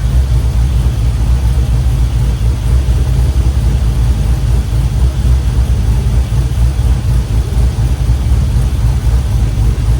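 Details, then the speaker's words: LS-swapped 1967 Chevy C10 after reconnecting the unplugged injector bank, warm with cylinders around 160 degrees: deep, steady V8 idle with an even rumble and no misfire. Running on all eight, no fuel leaks. "All right, brain's running. No fuel leaks."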